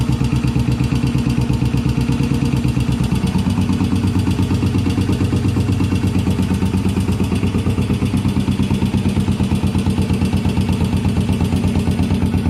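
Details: 1981 Yamaha SR500 single after oil and filter change, sump check ball/spring/gasket replacement and valve adjustment, still smoking, 115 psi compression: uneven, stumbling idle thump with loose clatter; cause not yet pinned down.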